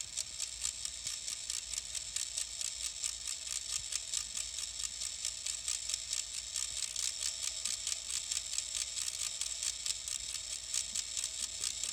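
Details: Denon X1800 DJ mixer after boot: thin hissy electronic buzz with fast crackling ticks that change with the FX channel settings and with unplugging the network cables; apparently a known fault, and the mixer was returned for repair.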